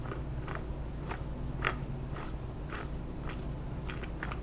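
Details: Worn passenger-side front hub bearing removed from 2009 Jeep Wrangler JKU, turned by hand: rough gritty crunches about twice a second instead of smooth spin.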